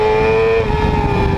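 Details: 2010 Yamaha R6 four-cylinder revved briefly with an uneven, lumpy note; running on only three cylinders because of bent valves in cylinder 4.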